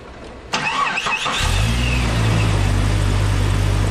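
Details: 1998 Jeep Cherokee XJ, AMC 4.0, started after radiator replacement and coolant fill: short crank, quick catch, then smooth even low idle with no misses or knocks; healthy start.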